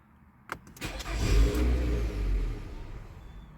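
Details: 2014 Nissan Altima 2.5, check engine light with code P0011, stalls right after start-up. Brief crank, engine catches and revs, then speed sags and it dies within about three seconds. Stalling after start.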